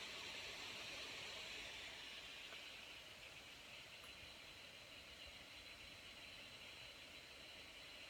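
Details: Lenovo Yoga 900 laptop, processor utilization above 70%: a steady airy rush with a hissy high band that eases slightly after two seconds, the cooling fan running loud under load.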